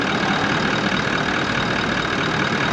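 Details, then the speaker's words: 79 Series Landcruiser just after a new replacement motor was fitted following the old engine blowing up: even, steady, fairly quiet idle with no knocks or misses, quieter than before; healthy normal idle. "Sounds quieter. Woohoo! How good is that? It sounds a lot quieter, doesn't it? Idles nicely."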